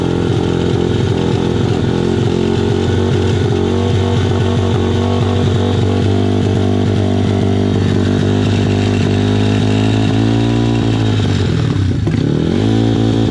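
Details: SSR/Pitster Pro pit bike single-cylinder engine running outside: steady even buzzing fast idle free of clanks, then stumbles and dies, apparently out of fuel; a burning-plastic smell noted, engine otherwise sounding healthy.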